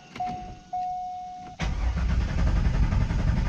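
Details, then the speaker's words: C5 Corvette after an oil change, engine cranked deliberately without starting to circulate oil and fill gaps; chime, then steady starter churn with no catch; cranking without starting, intended oil priming. "See, it cranks, but it's not going to turn over, and you're just getting all that stuff, getting everything all mixed up in there."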